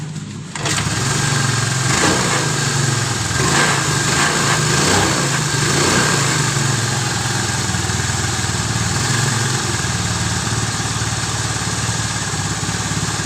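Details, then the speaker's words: Honda Vario 110 scooter after rewinding the stator coil with 0.9 mm copper wire: catches at once and settles into a steady, even idle with no misfires; normal start and idle. "dari kita gulung sampai pemasangan sampai dihidupkan, oke, nggak ada masalah."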